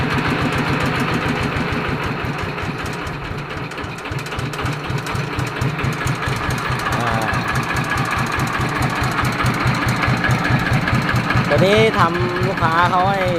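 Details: Yanmar TF115 LM single-cylinder diesel, brought in for hard cold starting, after replacing the injection pump plunger and other pump parts, inner bearing not yet done: steady even idle thump, no misses or hunting, good compression.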